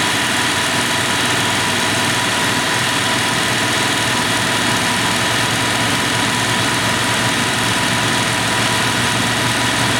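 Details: 1996 Dodge Dakota 3.9L V6 with newly installed fan clutch, warmed up, about 83°F air through the radiator: steady idle under an even airy fan rush; fan heard kicking off, clutch slipping normally before road test.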